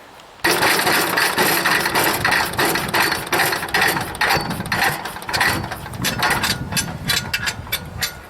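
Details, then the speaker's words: Wood chipper small engine, first try after sitting, tank was bone dry, no air filter, choked: loud uneven sputtering bursts on hard pull start with strong compression; owner suspects dirty carburetor and bad float. "it's some serious compression oh i'm going to work at that a minute that it sounds like a sputter but boy that's a job pulling"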